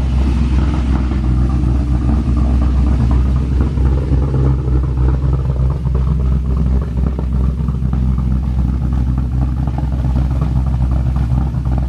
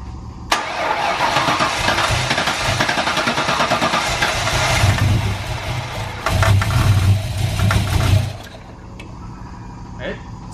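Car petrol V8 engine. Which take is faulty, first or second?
second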